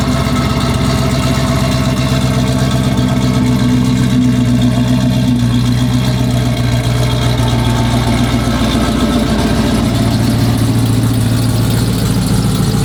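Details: Dodge Charger Pursuit V8 after bad-lifter repair and new cam install, with idle tuning: a loud, even idle with a deep steady exhaust rumble and no ticking or knocking, a healthy normal idle.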